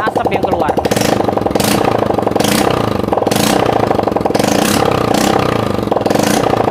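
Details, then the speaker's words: Yamaha Mio J scooter idling after a repair for white exhaust smoke: small single with a steady patter and a few throttle blips, no misses or rattles; no more smoke, engine dry and smooth, normal idle. "Nggak ada lagi kebulan ya teman-teman. Mesinnya garing, halus."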